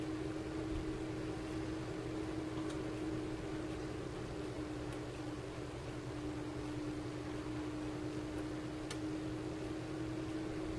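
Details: 12 V 30 A DC power supply after its loud stock fan was replaced with a larger, quieter fan: an even, soft whir with a faint steady hum and no rattle, tick or buzz. The fan runs normally.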